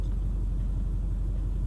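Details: Duramax LBZ V8 diesel after replacing bad #7 injector with used stock one, not fully warmed up: steady even low idle rumble, no miss or knock; injector balance shows #7 much improved; normal diesel idle.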